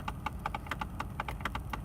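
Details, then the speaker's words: 2002 Mercedes-Benz C320 wagon, 97,300 miles, just started: quick, uneven plastic clicks about seven a second over a low idle hum, a ventilation system flap that clicks for about thirty seconds at every startup. "when the car is being turned on you will hear this clicking for about thirty seconds and that is a flap in the ventilation system clicking"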